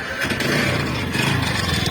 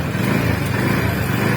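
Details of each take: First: TVS Ntorq 125cc scooter engine running with a fast metallic rattle over the engine beat throughout; the flywheel magnet nut has come loose, otherwise something is broken. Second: TVS NTORQ 125 scooter at 4318 km, running after repair of the loose magneto (flywheel) nut: short, even running with a steady low drone and no knocking or rattle. Sound is gone, engine healthy.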